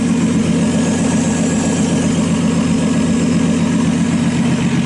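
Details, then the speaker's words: RB26-swapped Subaru WRX after oil cooler install, warmed up during leak check: loud idle with lumpy uneven beat around four pulses a second and occasional stumbles; idle misfire, cause not yet found. "okay guys so as you guys saw the engine got to idle I mean pretty good we're still having a misfire I mean I'm not an expert"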